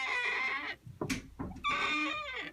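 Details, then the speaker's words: Ultra door closer, parallel-mounted with a bent bracket, on a swinging door: a high, thin squeak near two kilohertz rises and falls with the swing; it comes from the closer itself, confirmed by disconnecting it, since the hinges are fine. "that is the closer that is the closer making that sound that is another thing that annoys me it's not the hinges because I disconnected this closure and did it and the hinges are fine"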